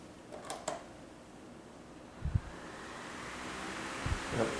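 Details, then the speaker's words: Hampton Bay (Midea FT30-D8MBA) 12-inch oscillating fan from 2019, about two years of near-continuous use. After the loose plastic blade cap that caused a rattle is retightened, it spins up with a smooth, even rush of air and no rattle. "there we go it's working fine though we'll put it back in service and see what happens"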